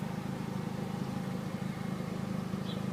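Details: Chevrolet Aveo petrol engine idling with a quiet, low, even hum and gentle steady pulse, no misfire or tapping. It had not started, with no ECU communication, no fuel pump and no spark; it idles cleanly after the ECU memory repair.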